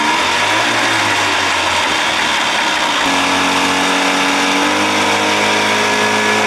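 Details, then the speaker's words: 1979 Evinrude 55 hp two-stroke outboard, in neutral after reed inspection and original carb refit: buzz climbs by itself and holds a racing high idle; owner suspects float needle not seating, cause unconfirmed. "nothing in gear forward gonna do it again i can i can tell by that noise float needle not seating sucking gas"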